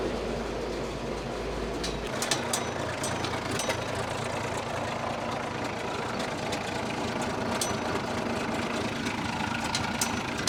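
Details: Freshly overhauled Allis Chalmers 210 tractor diesel on first start before dyno break-in, 34 psi oil pressure, 58° water temperature: steady diesel clatter at even idle with no knocking or misses; rebuild sounds healthy.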